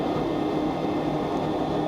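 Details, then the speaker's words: Goodman furnace GMEC960603BNAC calling for heat: three clicks then a steady, even whirring hum as the inducer fan runs normally during the ignition sequence. "You can hear a couple clicking. Inducer fan. I heard all 3 clicks."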